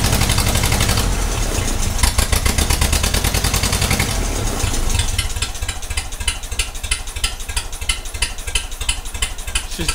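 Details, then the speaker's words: 1956 Ferguson TO20 four-cylinder TVO tractor, first run after 8 years: uneven, stumbling beat with a skipped pulse each cycle, running on three cylinders; one plug not sparking, thought to be cylinder number one. "she is only running on three cylinders it's a four cylinder tractor and you can hear that that's it missing on one cylinder"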